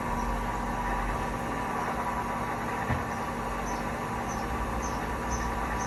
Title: Hotpoint 1000 rpm with bad bearings